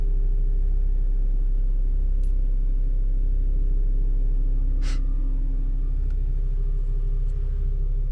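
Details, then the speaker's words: HPEVS AC50 electric car motor after bearing replacement, held at a steady 2000 rpm: low even hum, bearing inaudible, running perfectly; normal electric motor running at steady speed. "se va a quedar en las 2000 revoluciones por minuto clavado y este y no sé si alcanzan a escuchar pero está funcionando perfectamente bien El balero no se escucha aquí en el interior se escucha muy poco que está girando"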